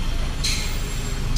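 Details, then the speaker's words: Ford Everest after repair of a BCM shorted by rat-chewed wiring and tightening of a loose battery, first start: a steady, even low rumble with no knocks or misses and a brief airy hiss. The engine is running normally. "Okay. Ayun umaandar na siya."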